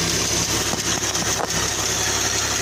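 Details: 2014 Jeep Wrangler 3.6 at idle: light, quick, even ticking over a steady idle from a hydraulic valve lifter tapping in the top end.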